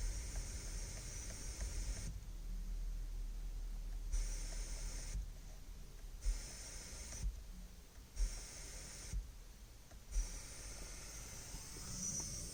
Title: Dasaita hissing sound issue.